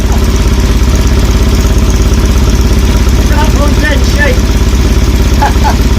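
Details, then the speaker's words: 1970 BSA Thunderbolt 650 after a burnt-out wiring repair, kick-started with petrol on both taps and ignition on. It has a strong, even thumping idle of about a hundred beats a minute with no rattles; the twin runs healthy. "Too much compression. That sounds nice."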